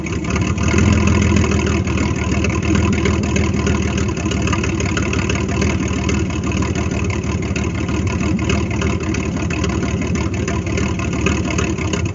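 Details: 1998 GMC Sonoma 4.3-litre V6, revived after sitting for years in swamp grass: deep, steady rumble holding an even speed without stumbling or misfire; running fine.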